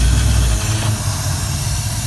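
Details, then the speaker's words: 1973 Ford Econoline van, 302 V8 with C4 transmission, parked 7+ years, refuelled and started with the fuel pump powered constantly, started in gear: catches easily and settles into a deep, steady rumble. "easy start there and because i'm bypassing i can actually start in gear like i just did"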